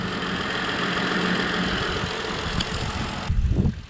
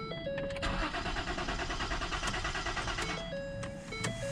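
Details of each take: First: Car just restarted after a fuel pump replacement, where the previous pump's ring was not seated fully: steady, even idle hum for about three seconds with no misses, surges or stumbles; normal idle. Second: Crank-no-start: starter churns unevenly under a warning chime, never catches; earlier it tried to kick over but seemingly lacked fuel though gauge shows half full; fuel supply suspected, not confirmed.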